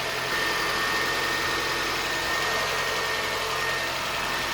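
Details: Reassembled parted-out Toyota Starlet idling after an earlier startup squeal cleared itself: quiet, even idle with no knocks, misses or surges; engine sounds healthy, normal idle.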